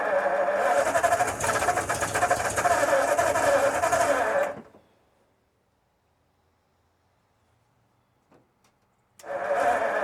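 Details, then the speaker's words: 1952 Ford F-1 on first start in 28 years, rebuilt carb and PerTronix ignition, timing just readjusted: engine cranks steadily about four seconds, catches briefly but won't run, then cranks again; too much choke, needed more air. "So close. What I needed was more air, less choke."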